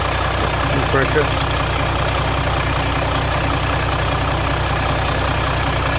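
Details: 2007 Jeep Grand Cherokee 3.0 CRD diesel after oil pressure light came on, oil level correct; cold start idle: steady idle with a rapid, even metallic rattle, oil light on at idle and off when revved. Owner suspects timing chain.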